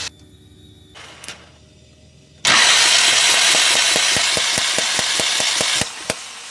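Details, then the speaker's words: Mahindra Maxximo common-rail diesel with starting trouble, injectors removed and opened to test spray after DRV on common rail replaced: steady starter cranking, even compression beats about 2.5 per second, no drag; normal cranking, injectors spraying well. "இப்போ பாருங்கள், இப்போ வந்து crank பண்ணி பார்க்கலாம் spray ஆகுதானே."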